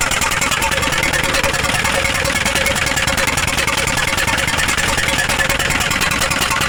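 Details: Hino 300 W04D diesel at idle with white smoke: uneven, lumpy beat and hoarse honking rasp from the intake; misfire, cause not identified.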